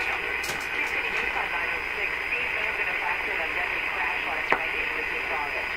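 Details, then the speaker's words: Radio fed only by BK 3030 sweep generator: steady high whistle over constant hiss at the top of the AM band, around 1540–1570; image-frequency heterodyne signal. "we're going to run it again and listen to it it's pretty distinct it's right at the top"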